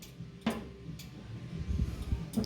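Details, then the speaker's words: New K40 laser engraver, homemade lid interlock switch: a few sharp, separate clicks as the closing lid lines up and the switch engages. Normal clicking; with the lid open the laser cannot fire. "clicking okay when the lids open there won't be a laser won't be able to fire"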